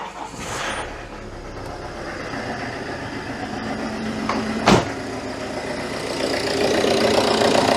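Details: Citroën Berlingo HDi diesel, first cold start in over a week, no glow plugs, MAF already replaced, bubbles seen in the fuel pipe: clatters into life and idles unevenly with an occasional stumble; suspected fuel-related misfire, unconfirmed.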